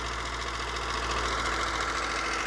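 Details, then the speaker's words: HR 194 mower after engine reassembly, no vibration: small single runs a steady, slightly lazy idle with no misses; throttle wants raising a little while it warms up. Idle speed slightly low. "et ben voilà le ralenti ma foi il est pas mal le [Applaudissements] ralenti je crois que ça demanderait quand même un petit peu"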